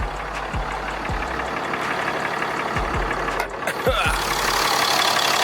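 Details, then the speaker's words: Diesel truck idling after installing a WC Fab upper coolant line, checked with no leaks. Steady low rumble with even clatter and no knocks or misses under outdoor noise. The engine sounds healthy. "the sound never gets old man i'll tell you"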